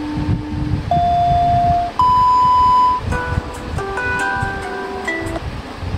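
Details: Used Samsung Galaxy Z Fold 3 speaker check in the *#0*# test mode: clean, steady test tones stepping up in pitch, then a short tune, with no buzz or crackle. The speaker plays fine.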